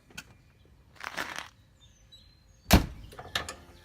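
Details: RV automatic entry step, reinstalled after cleaning out dirt and grit from months stored extended: two short clean whirring strokes a second apart, pause, brief return run; step extends and retracts normally without binding.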